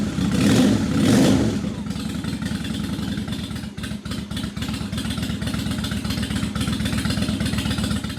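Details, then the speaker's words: 2003 Honda Shadow Spirit VT750 V-twin after carburetor cleaning (previously running on one cylinder), new battery: after a brief blip, settles into an even, steady, super smooth idle with both cylinders firing cleanly; normal idle. "Oh yeah, she's running great. idle is super smooth."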